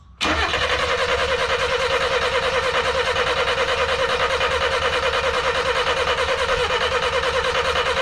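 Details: 1988 Ford Festiva after a Weber carburetor swap, waking from 13 years sitting: steady starter cranking about two and a half turns a second for eight seconds, engine never catches; cause unknown, coil wire seating and wiring suspected.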